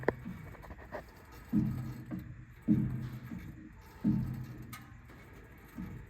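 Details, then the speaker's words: 2011 Ford Explorer, clunk when turning left or right for months: dull low clunks about every second as the wheel turns. Steering rack and boot checked fine; the front strut coil spring is clicking and twitching. Fix is replacing the whole strut/spring assembly. "it seems to do with that strut right there the spring right here kind of clicking around"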